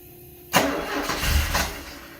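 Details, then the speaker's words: 1974 Alfa Romeo Spider Veloce, 10K original miles, stored 30 years; crank no start with fuel pressure present and spark confirmed: starter turns about 1.5 seconds, nothing catches; slight gas smell, earlier suspected flooded. "Let me see if, like, wants to turn over, but it's not. I am getting spark."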